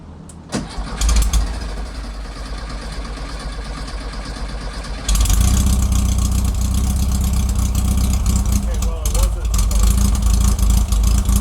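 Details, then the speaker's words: 1969 Volkswagen Karmann Ghia warmed up, choke mostly off, dwell and timing set, carburetor rebuild pending: several seconds of labored cranking, then fires into lumpy uneven idle; hard starting, starter fluid helps, fuel delivery issue suspected, not confirmed. "All right, it's warmed up and the choke is mostly not choking. Whatever it is when it's in that position right now, it's not starting."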